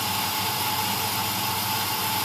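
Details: 1999 Dodge Ram quad cab petrol, cold start after adding fuel treatment before winter storage, half tank: steady even idle with smooth low rumble, no knocks or ticks, a little exhaust steam; healthy cold idle.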